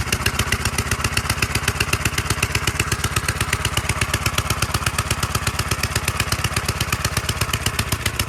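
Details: 1946 Gravely Model L single-cylinder, first run after about five years idle, started with ether in neutral at mid throttle; even steady chuffing around four beats a second, clean with no misses, normal running.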